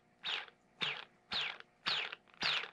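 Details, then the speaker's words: Hyperlite 2207.5 1922KV brushless quad motor hand-spun five times: falling whir with low-pitched gritty grinding from worn bearings, alongside normal high magnet whine; bearings to be replaced. "and then the second noise is a low pitch like grinding noise and that is the sound of bad bearings"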